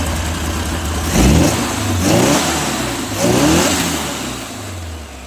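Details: VW Beetle flat-four with a Holley carburettor, started after 30+ years of storage: three throttle blips each rise and settle back to an even idle. Normal running.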